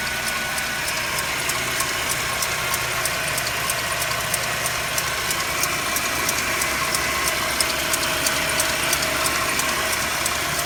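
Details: Mercedes-Benz W204 with M271 engine, just started cold and idling: a quick, fairly regular light ticking knock, about three per second, rides over the idle; cold-start engine knock, cause unclear.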